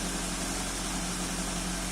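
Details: 2005 first-generation Toyota Avanza at idle after repair and clearing of EFI trouble codes, scanner showing no faults: brief steady idle hum with an even tone, no stumble or rough pulses; engine settled and healthy.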